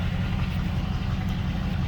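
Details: V8 with a Holley/Edelbrock-type carburetor just fitted with a Carb Cheater self-tuning kit and spacer, restarted after the carb was emptied: deep, steady low rumble with an even beat and no misses or knocks; normal idle.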